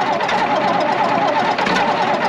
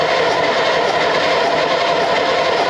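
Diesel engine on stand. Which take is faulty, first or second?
second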